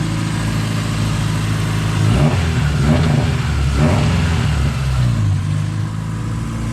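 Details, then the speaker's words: Race car at Winton shakedown after 10 months off, running rich, roll-started twice: engine stumbles and breaks up, revs surging and dropping; owner suspects cam position sensor or wiring near it. "played around with the wiring near the cam position sensor I'm pretty sure it's a cam position sensor I hope so anyway"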